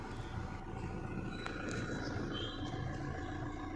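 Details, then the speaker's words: 2011 Maruti Suzuki Swift Dzire diesel, after a no-start with the immobilizer light blinking and a main relay open DTC, now running with the main relay fixed: an even, low diesel clatter at idle with no misses or knocks. It starts and idles normally. "main relay is fixed forgot to record video and here car starts fine start and show you car starts normally"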